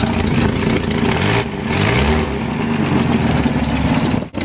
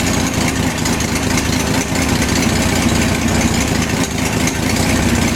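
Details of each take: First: BMC Wolseley Farina 24/80 engine, freshly rebuilt, on its first start and running rough with a loud raspy blatting chuff on each firing. Exhaust is leaking at an ill-fitting muffler and sounds dreadful. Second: BMC Wolseley Farina 24/80 engine first run after restoration with overhauled distributor, at about 150 degrees and about 50 oil pressure: a steady, even idle, all cylinders firing, no misses. Normal idle.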